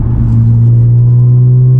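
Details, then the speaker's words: Audi with muffler delete and cat-less downpipes, cruising at the speed limit in 4th gear, heard from the cabin: a constant deep booming hum, exhaust drone that is too loud inside. "It's just too loud. It's just droning inside. So, it sounds amazing, but it's very loud."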